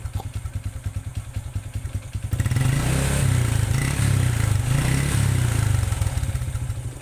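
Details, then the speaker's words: Honda Revo engine that ran out of oil, warmed about 2 minutes: a rough, rapid tapping clatter at idle that gets harsher when revved, unchanged when warm; piston damage suspected, possibly the rings. "suaranya masih Putuh ya masih kasar dalam arti tidak ada perubahan ini Prediksi saya itu ini di bagian piston itu mengalami kerusakan"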